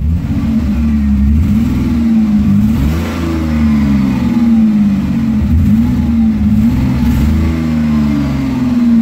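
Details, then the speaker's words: Ford Escape recorded above freezing, a recurring issue since temperatures rose; owner plans a repair that requires pulling the intake: engine note wavers with an uneven, lumpy pulse at idle and light load; missing a cylinder, cause unconfirmed; misfire. "I'm only running I'm missing a cylinder pain in my butt"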